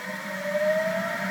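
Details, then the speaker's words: Electric motor in EVVette conversion coupled to flywheel on new adapter plate, spun up: smooth rising steady hum, quiet, no vibration or wobble, running true. "nice and quiet sounds good no vibration super smooth super true that one's awesome"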